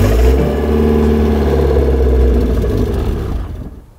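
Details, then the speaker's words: Mazda Miata engine idling just after a blown head gasket was replaced and the engine reassembled, slightly uneven with a faint rhythmic whipping/flapping about three beats a second; source not identified. "there's a slightly odd noise coming from the engine bay though"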